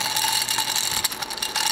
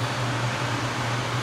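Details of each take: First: Port-A-Cool Cyclone 2200 evaporative swamp cooler, submersible water pump plugged in; dry high-pitched ratcheting rattle from the small pump motor, sounds like bad bearings, failing pump later replaced, failing pump bearing grinding. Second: Port-A-Cool Cyclone 2200 evaporative swamp cooler after its broken submersible pump was replaced and the media refitted, with water percolating. Steady, even fan hum with a soft airy rush and no rattles or surging; normal operation.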